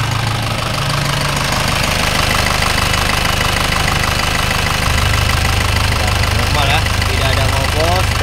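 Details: Isuzu Panther Turbo 4JA1 diesel, freshly overhauled (liners, pistons, rings, bearings, thermostat), warm after a short drive: steady, even idle clatter with no misses or knocks; no blow-by, engine normal.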